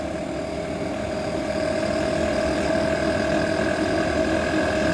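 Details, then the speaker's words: Diesel air heater (5/8 kW) after upgrading from steel-can motor to rebuildable motor: steady hum and whine with a fast uneven rattle starting as fuel reaches the burner on ignition. "he was like rattling please don't rattle i can hear it rattling already"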